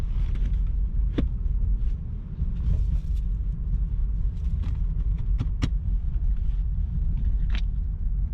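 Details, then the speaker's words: Nissan Cedric driving on the road after a fan belt adjustment: sparse, sharp metallic taps and ticks every second or two over low road rumble, metal hitting metal inside the glove box. "this metal hitting that i know it's coming from that glove box"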